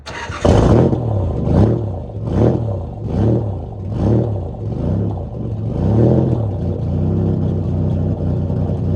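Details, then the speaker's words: Cold start of a Nissan Z31 with VG30E/T engine after sitting 3 months, about 50°F outside: idle surges and sags about once a second before settling; owner suspects leaking upper plenum and lower intake gaskets, not confirmed. "But it's been 3 months since I turned her on. Whoa, that sounded weird."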